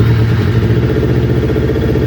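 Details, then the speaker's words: Fuel-injected Kawasaki Ninja twin that bogged and stuttered at idle, after fitting two second-hand ignition coil packs: starts on the button and idles steady and even with no miss; both coil packs working. "Sounding good. Okay, so straight off the bat, I can tell you right now that both coil packs are working."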